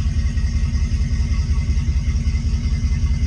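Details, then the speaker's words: Twin-inboard boat idling in neutral after revving emptied the exhaust muffler: steady, even low rumble, about 160 pulses a minute, no misses; no water out yet while muffler refills, not overheating, normal. "But since I know what's going on, I can verify it. Now I can hear it. It's filling up, almost to the top."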